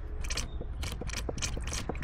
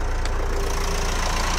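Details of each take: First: Renault Espace IV 2.0 dCi 130 hp, after diesel fuel filter change, priming with hand pump: quick crisp hollow pumping clicks about twice a second; filter still full of air, keep pumping until only diesel comes out. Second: Renault Espace IV 2.0 dCi diesel just started after a fuel filter change: even idle with steady low beat and light clatter, no misses or stumbles, no fuel leak; normal idle.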